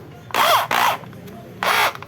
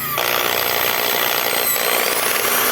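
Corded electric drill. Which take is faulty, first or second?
second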